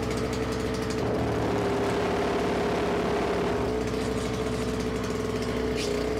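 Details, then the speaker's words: Simplicity 520 single-stage snowblower after electric starter and recoil repairs: with the auger engaged and dragging on the floor, engine drone holds one steady pitch with no sag and stays at full speed on release. Pulls load normally. "so there you can hear that when the augur is engaged and dragging on the floor the the speed of it doesn't change it it keeps going fast and when I let go the engine's still running at full speed"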